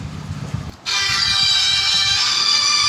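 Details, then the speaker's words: Samsung Galaxy A10s phone speaker after flashing a downgrade firmware to fix distorted over-loud audio: ringtone plays bright, loud and clean with no crackle, rattle or buzz. "देखिए आवाज़ कितनी clear हो गई है। इसके बाद इसको software करने के बाद इसकी आवाज़ बिल्कुल क्लियर हो चुकी है, पहले से बिल्कुल 100 गुना।"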